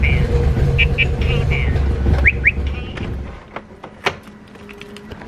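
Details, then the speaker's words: Nissan 350Z after valve cover gasket replacement: low, uneven cranking churn for about three seconds with chirps over it, then it dies without catching; rough hard start, and a leak and bad smell follow. "That did not sound good at all. I'm gonna try turning it on one more time and giving it a little bit more gas, maybe because it needs more gas pumped into its system."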